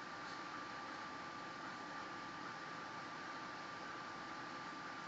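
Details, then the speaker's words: Samsung induction range convection oven fan while baking: soft, steady airy hum with a faint constant tone, no rattle or scrape; fan runs quietly and normally, background rattle is the refrigerator ice maker. "The fan is very quiet. It doesn't bother me at all. I don't know where people get that it's so loud."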